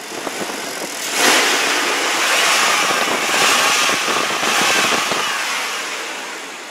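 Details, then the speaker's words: 1998 Chevy Tahoe 4x4 for sale; the engine swells smoothly on a couple of revs and settles, with no knocks, valvetrain noise, rattling or banging. Normal engine rev. "No knocks, no valve train noise, no rattling, no banging."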